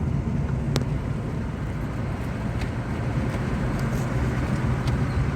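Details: Hyundai Verna automatic, DTCs cleared (earlier P0748, reverse shift-shock, 3rd gear hold complaint), on road test: steady low engine drone under road noise, no jolt, flare or surge as it upshifts into 3rd and 4th; shifting smoothly.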